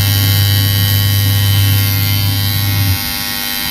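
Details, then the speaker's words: Washing machine, newly installed timer buzzer sounding as the wash timer runs out: steady low electric buzz about three seconds then cuts off automatically with everything stopping; buzzer working perfectly. "Buzzer की आवाज़ आ रही है। जैसे buzzer के time हो जाएगा timer का, अपने आप बजर बंद, सब कुछ बंद, आवाज़ आ रही है।"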